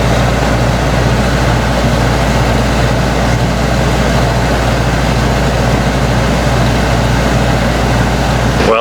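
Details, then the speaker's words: Winnebago Ekko van's ducted rooftop air conditioner above the bedroom, after a cheap noise-reduction mod: steady, even low hum and air rush with no rattles or buzzing, a few decibels lower and noticeably quieter than before. "it dropped it only a few decibels but actually to the ear I guess a few decibels makes a pretty big difference because it sounds substantially quieter"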